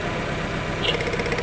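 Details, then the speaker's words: Chevrolet Lova with rough, shaking, powerless engine, rusty sludged fuel regulator: lumpy stumbling idle; pulling cylinder four's plug lead changes nothing though spark is present, so cylinder four is dead. "tidak ada perubahan kita angkat nomor empat tidak ada perubahan sama sekali tapi api busi ada terdengar suaranya"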